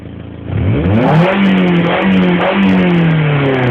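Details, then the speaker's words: Toyota ZRE: engine blips up and settles to a fast idle with a raspy, chuffing edge in the exhaust note. Exhaust is still coming through the T-piece; owner suspects a leak or hole somewhere along the line. "there is a problem with my exhaust as you can hear the exhaust is still coming through this T up here but I suspect there is a lake somewhere along the line"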